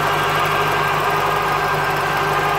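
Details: 1996 Chevrolet Corvette C4, LT4 engine, ZF manual gearbox: idling evenly with a steady mid-pitched hum and a faint rattle underneath; gearbox noise problem, cause unknown.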